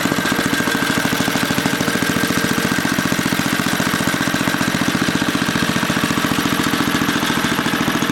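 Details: 1980 rototiller, small single-cylinder pounding fast and steady with a hard rapid beat, clearly overspeeding; the wrong governor spring is fitted and needs fixing.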